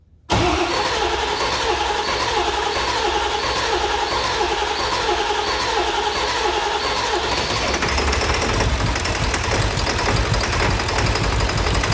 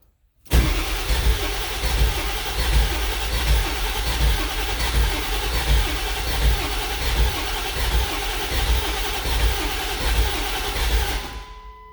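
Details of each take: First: Ford 7.3L Powerstroke diesel after swapping the IPR valve: cranks briefly, fires straight away and settles into a steady, even clatter with no stumbling; the faulty IPR valve caused the no-start. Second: Ford 7.3L Powerstroke diesel: steady starter cranking for about eleven seconds that never catches; no-start suspected from low injection control pressure, with a high-pressure oil leak and about 50 psi at crank; bad high-pressure oil pump or IPR valve suspected.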